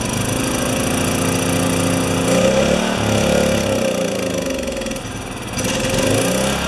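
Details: Makita G2400R generator, Subaru Robin single-cylinder engine, fitted with a Briggs & Stratton carburetor: uneven beat wandering and surging, dipping around five seconds; rough running.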